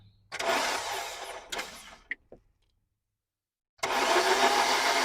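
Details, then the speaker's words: Honda K24A1 engine pulled from a wrecked car, starter jumpered straight from the battery: steady whirring crank in two short bursts, no clunks or knocks. "All right. Well, it sounds like it doesn't have any noise coming out of anything. How does it sound to you? >> I don't hear no clunking."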